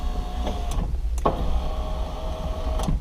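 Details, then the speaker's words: 2004 Porsche Boxster 986 window regulator after repair, cables moved back into their tracks: smooth even motor whir with clean stop clunks and no grinding; window working normally. "let's give it a test run here ready better no more grinding noise"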